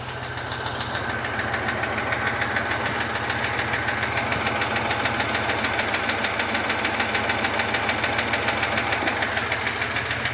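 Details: Moskvich with UZAM 412 engine: hard, regular knock about three times a second over the idle; engine knock, source not yet pinned down.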